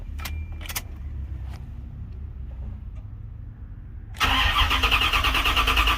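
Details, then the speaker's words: Chevy Caprice LT1 V8 started cold after replacing one fuel injector, O2 sensors unhooked: catches after a few seconds into rough idle with sharp, fast puffing tick over the rumble; big exhaust leak. "said it ain't running right because it still got that big old exhaust leak, as well as the O2 sensors not hooked up."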